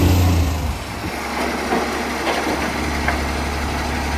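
Garbage truck diesel idling with a loud, coarse roar and rasp over the engine note, typical of an exhaust leak.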